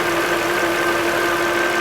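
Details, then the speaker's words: 2008 Volvo XC70 3.2 liter after repair: steady, smooth idle with even hum and no crankcase whistle or hiss; tea-kettle whistle fixed. "i'll be back with a follow-up to whether it fixed the problem or not it's fixed problem solved"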